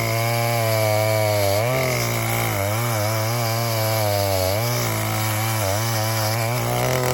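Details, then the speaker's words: 1960s Stihl 08S two-stroke chainsaw, about 60 cc, cutting firewood with extra fuel on high jet: pitch sags and bogs in repeated dips instead of holding high revs, lagging; over-rich high-speed mixture, owner eased it off. "I gave it a little more fuel on the high jet. You cut for a bit, and then you could tell that it kind of started to lag a little bit. So I eased it off."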